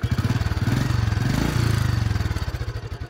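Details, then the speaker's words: Royal Enfield Bullet after hydraulic tappet replacement, at slow idle. Loose, even thumping of about four beats a second with light top-end clatter. This hydraulic tappet noise is normal even on a new bike, which idles less smoothly than a Pulsar or Splendor. "అవన్నీ మావలే, మనం కొత్త బండి కొన్నా సరే ఆ sound ఉండాల్సిందే. నార్మల్గా slow speed అలా ఉంది."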